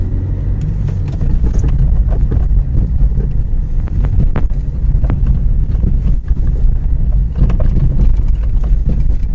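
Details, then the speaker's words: Suspension clacking and rattling from under the car over rough, uneven roads, heard from all directions; irregular clacks over heavy road rumble. Source in running gear (arms, ball joints, links) suspected, not confirmed. "elle fait plutôt des claquements quand on est sur des routes avec des reliefs vous savez les routes qui sont pas en très bon état alors là on a un bruit qui fait ça s'entend dans tous les sens"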